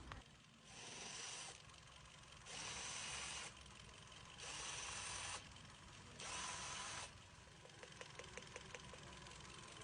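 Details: Hyundai Accent 1.6 at idle with misfire detected, ignition coil and spark plug suspected: uneven, stumbling beat.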